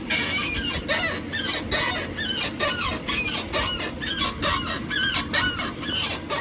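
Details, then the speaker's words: Ram 1500, about 74,000 miles, 2-inch leveling kit with factory upper control arms: repeated high creaking squeaks about once a second as suspension works; bad upper ball joint, fixed by replacing upper control arms. "I'll show you in detail what it looks like and the noise that it has I'm Gonna Roll that into this video so you can hear what it sounds like when the upper ball joint goes bad"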